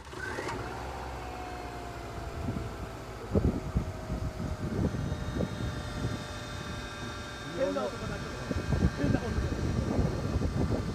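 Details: Subaru Legacy TA-BH5, 130,000 km, cold start before warm-up: a steady thin whine over the idle, easing as it runs. Dealer says the power steering pump can make this noise when cold; owner had suspected the timing belt, which was due for replacement.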